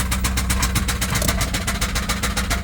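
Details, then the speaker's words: Volvo B230 redblock engine with no oil pressure and the oil-pressure light on, already knocking badly for 10 minutes, driven up and down the block: heavy, rapid knocking at about eight blows a second over a rough note; an oil-starved bottom end failing. "so total time of this engine spent already without oil pressure knocking really bad has been 10 minutes"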